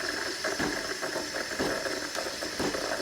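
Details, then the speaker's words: DeLonghi Dedica EC685 espresso machine steaming milk with the panarello wand toward 60–65°C: steady steam hiss with soft regular knocks about twice a second from the thermoblock, fairly quiet; normal thermoblock knocking. "it's fairly quiet you can hear that knocking from the thermoblock but it's not loud"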